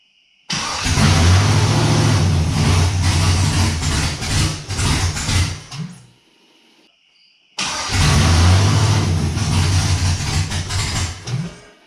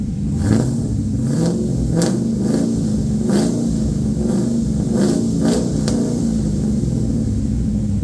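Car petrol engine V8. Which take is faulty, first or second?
first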